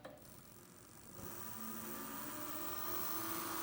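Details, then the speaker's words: Precision Matthews PM-25MV mill, brushless motor with direct belt drive, not yet broken in: faint hum rising to a soft steady whine as the spindle spins up, very quiet, no knocking or grinding; normal spindle running. "not sure how well you can hear that but it's quiet there's really it doesn't make much noise I like it"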